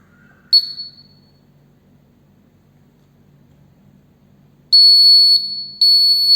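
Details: Arduino Uno buzzer switched on by sending 1 via HC-05 Bluetooth app after fixing a loose connection: thin high electronic chirp, then about two seconds of clean sustained high tone with one short break; buzzer works properly.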